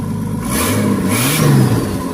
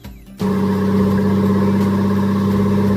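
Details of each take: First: Turbocharged Nissan GQ Patrol on an eBay kit with wastegate and screamer pipe; revs with a raw, loud, unmuffled roar that rises and falls with throttle, because the turbo dump pipe was forgotten and not fitted. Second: Turbocharged Nissan GQ Patrol on an eBay kit, first start after the install; it catches after a brief crank and runs steady and even with no knocks or rattles, making all the right noises and more responsive than before.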